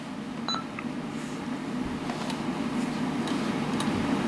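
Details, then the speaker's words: Panasonic KX-T1450 dual cassette answering machine powering on: after about seven seconds, short electronic ready beeps over a low steady hum, normal. "here you can power it on takes about seven seconds and then you will hear the audible"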